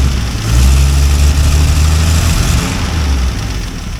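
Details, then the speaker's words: 1964 Dodge D100 Utiline, still cold and not yet warmed up, just after an alternator replacement, with the amperage rising when the headlights come on. The low idle dips and wavers unevenly: cold engine stumble. "and this thing is still cold so it's stumbling I haven't warmed it up yet"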